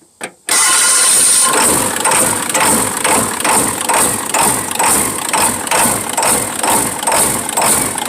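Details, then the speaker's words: 1996 Ford F-350 XLT 7.3L Powerstroke diesel first running after fresh oil, a new fuel filter and a new camshaft position sensor; catches into a loud, lumpy idle with an uneven pulse like several cylinders are misfiring. Cause not confirmed. "I think I finally gotten this thing - wait a second I think I finally got this thing to run half-ass"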